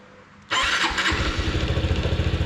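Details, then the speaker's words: Honda NBC110 just fitted with a 130cc big bore kit and a ported exhaust, started cold at about 5 °C with the fairing off; catches at once into a quick, even, extremely quiet idle thump with no ticking or knocking: normal cold start and idle. "I like that. Extremely quiet."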